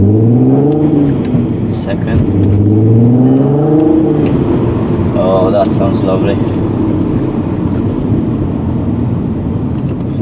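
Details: Crash-repaired VW Golf R32, non-turbo engine, first drive after suspension rebuild: smooth, even engine note climbing cleanly through each gear with no knocks or misses; healthy engine under acceleration; possible rusty front-left brake noise.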